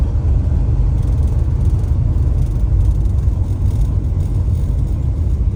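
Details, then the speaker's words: 1967 Plymouth Belvedere driving cold after the belt squeal fix with a relocated power steering bracket: only deep road and engine rumble, no high belt squeal; accessory belts now quiet. "She's running all right. Cold, very cold-blooded. So nice without the belt squealing. So much better."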